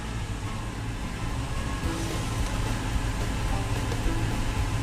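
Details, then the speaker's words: 2000 Toyota Tundra SR5 4WD 4.7L, idles low and dies, worst when hot, no engine light; foot off the pedal while warming, idle dropping to about 350–400 rpm in gear. Low, lumpy idle ready to die; dirty throttle body venturi suspected, cleaning was the fix. "now my foot's off of it but as it heats up the idle will drop"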